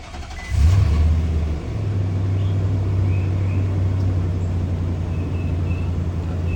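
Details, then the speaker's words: Used truck on pre-purchase inspection, cold start: quick start with short flare, then steady deep even idle, no misses or knocking and no smoke from the tailpipe; healthy. "so it runs pretty good if you look in the mirror you don't see any smoke belching out the tailpipe when you first start it that's a great sign"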